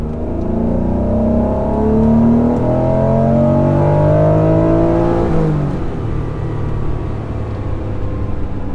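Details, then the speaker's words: 1992 Acura NSX at 320,000 miles, warm (coolant 171°F, oil 182°F), floored from 3,000 rpm while driving: power surges at 4,000 rpm, unexplained, and again at 6,000 rpm as expected VTEC; low/mid rpm hesitation suspected, fuel pump resistor circuit under test. "at 4,000 RPM we got the engine started accelerating quicker and then again at 6,000 RPM now the 6,000 RPM ramp uh we're expecting that's VTEC kicking in the 4,000 RPM ramp that is something different"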